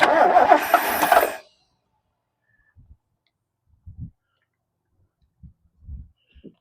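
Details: 1969 Lincoln Continental off the road about 50 years: about a second of cranking that never catches, then near silence with light clunks; won't fire, jumper wire about to be run, cause not confirmed.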